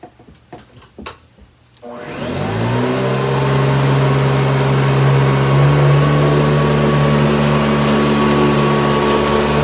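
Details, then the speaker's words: Hoover Decade 80 vacuum (model U4385, 120 V 60 Hz 6.0 A), older machine long unused, started on carpet: spins up to steady whirring hum with even airflow rush; normal running. "So I'll turn it on, and then I'll let you hear what it sounds like on the surge, you know, the extra power."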